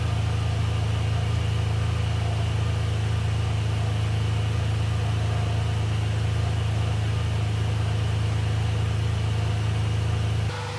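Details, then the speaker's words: Ferrari 456 GTA after major service, idling with climate control off: smooth, unbroken low idle with steady cooling-fan whoosh, no misses or ticks; fans now run without heater or AC, fixing earlier complaint; check engine light still on. "So the car is running great. You guys can hear that the cooling fans are running and I actually have the climate control turned in the off position."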